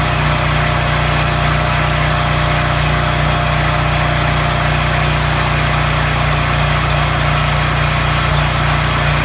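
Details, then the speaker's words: Coleman engine after governor replacement (part 277-42201-33): steady, even drone with no surging or hunting. Tachometer reads about 3590–3615 rpm, right for its 3600 rpm governed speed. "[Music] that sounded wonderful alright so what I did with using this tachometer I got the machine up to 35 I'm 90 and then on the high side it goes up to 39 36 15 so that's right in the ballpark you want"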